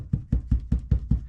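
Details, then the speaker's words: Deep subwoofer bass thumps about five a second, each with a faint buzzy rattle tail: the cargo area panels still rattle slightly after Dynamat sound-deadening, far less than before; tailgate panel not yet finished. "can hear there's a slight rattle but not like he used to be you know doing the tailgate"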